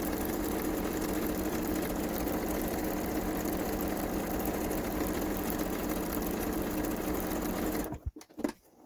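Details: Kenmore 385-19550 sewing machine being tested after repair of wrong pattern stitches and speed control, speed adjustment screw centred: steady, even whirring at constant speed, no knocking or scraping, then clean stop; healthy.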